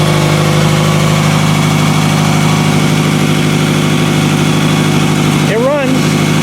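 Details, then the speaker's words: 2000 Toyota Camry after misfire repair: steady, even idle with no stumbles or dropped beats, just a puffing exhaust leak underneath, likely the rotted flex pipe, with steam from the exhaust; misfire gone, normal idle. "it drives it works running absolutely perfect obviously you hear the exhaust because of that but not a single misfire just plain rice cake farts"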